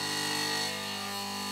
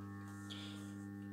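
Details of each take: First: Mazda Esthelux 400 luminaire, at power-on: a steady, loud hum with a rich buzzy edge from the magnetic ballast. Some laminations around the iron core were deliberately loosened so the ballast vibrates. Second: Mazda Esthelux 400 lamp ballast after fitting a homemade 1 mm metal plate: a soft, steady mains hum with no rattle or buzz, now barely audible. Normal ballast hum.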